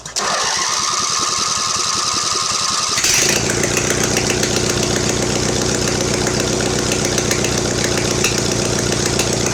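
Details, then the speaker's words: Mastercraft (MTD) 46" riding mower with a replacement engine, running with no exhaust fitted: slow cranking for about three seconds, then a loud, steady open-exhaust bark; the engine runs okay. "and then it runs out of gas wow that's neat runs seems to run okay"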